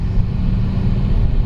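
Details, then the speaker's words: 2011 Nissan Rogue, check engine light on and running rough. A loud, deep droning roar under the car while driving rises and falls with road speed: a very loud worn wheel bearing. "Okay guys, this car is the world's loudest wheel bearing."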